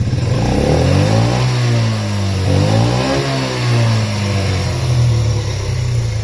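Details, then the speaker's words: Yamaha Raptor 50 ATV, small engine, mostly stock but possibly non-stock CDI: buzz climbs very high and holds without hitting the rev limiter, then drops back; it over-revs, owner suspects the aftermarket CDI. "just something interesting about it that it really does kind of rev higher um on the higher end"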